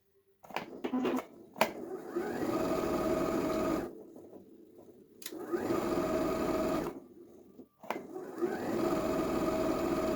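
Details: Janome 2030QDC computerized sewing machine after lubrication: even, quick needle clatter in steady runs with clean stops between, no grinding or catching; normal running.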